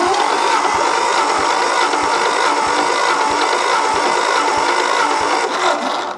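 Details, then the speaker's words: 1964 Ford F250 with the 223 six, cranked with all spark plugs removed for a compression test after oiling the cylinders: the starter whirs steadily with soft, even pulses about three a second and no firing. "Do a little compression test. I've went and numbered all my plug wires when I pulled them out so they can all go back in the same place real easy."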